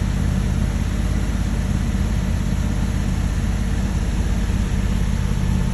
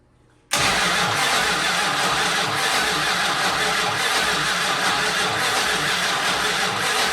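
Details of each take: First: 1968 Dodge Monaco 500, numbers-matching 440 Magnum V8, rebuilt engine running for first time since 1986 after barn storage: deep, steady, even rumble with no knocks or misses; running smooth and healthy. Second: 1968 Dodge Monaco 500, rebuilt 440 Magnum V8 first-start attempt after 36 years, fuel supplied: starter churns engine evenly for several seconds but it never catches; no spark, ignition feed not connected.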